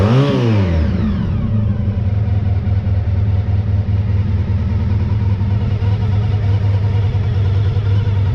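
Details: 1985 VF1000R after carb cleaning and balancing fixed a poor idle from years of sitting, with a final header-temperature check of all four cylinders at idle. Revs drop quickly back to a steady, even idle with no misses, so all cylinders are firing.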